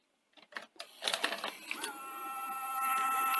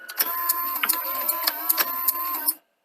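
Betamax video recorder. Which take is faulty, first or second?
first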